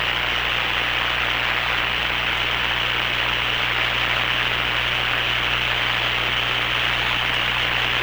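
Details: Hammarlund SP-600 receiver after power-supply filter electrolytic capacitor replacement, line voltage raised from 100 to 117 V: steady, even speaker hiss with a faint low hum, which the owner suspects comes from the audio hookup, no crackle or motorboating; normal receiver hiss.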